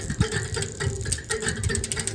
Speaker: and there you can hear that friction between the spokes and the derail [Music] anger so I need to adjust it